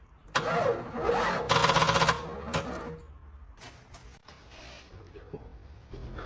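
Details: 32-year-old Cadillac Fleetwood Brougham with a 5.7L V8, cranked on a temporary battery. Short, labored cranking bursts with fast uneven pulses die away without catching. Owner first suspected the battery, but the starter proved faulty, bodged with glue by a previous owner.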